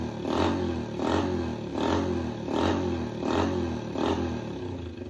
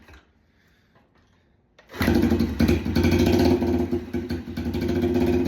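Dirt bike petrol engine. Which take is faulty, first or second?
second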